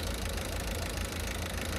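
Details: 2007 Citroën C4 1.6 HDi 9HX, no DPF, code P2670. Running with the faulty unit unplugged; the unit is to be replaced. Steady, even diesel idle with a low rumble and no misfire or stumble; normal idle.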